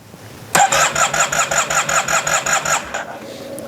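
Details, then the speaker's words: Yamaha TMAX scooter in restoration, after reinstalling the ignition rotor, fuel added and primed: starter cranking with a pulsing chug and a few weak firings that don't catch; no start, owner suspects an air leak or fuel not reaching the engine. "I added gas and it should crank but we we are going to find that out there's the uh the priming and I'm looking at the it does not want to start I hear the uh oh that was a kick that was"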